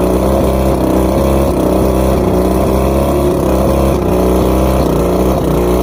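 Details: Two-stroke outboard after plugs checked, fuel pump and carbs rebuilt, trigger loosened, spark confirmed on all cylinders: uneven idle, hunting and stumbling, with a faint chirp on top; cause still unknown.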